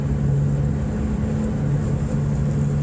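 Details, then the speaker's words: 1993 Subaru Impreza GC2, first-gen FWD with EJ18 engine, little sound deadening: steady low transmission hum heard in cabin, holding pitch over road rumble while coasting off throttle on decel; normal gear whine. "you can hear the transmission in this car there's no sound deadening really"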